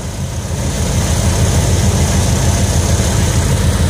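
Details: 1988 Ford Econoline wheelchair-lift van, petrol engine, relatively rust-free, fires right up every time: normal idle with a smooth, steady low rumble and an even pulse.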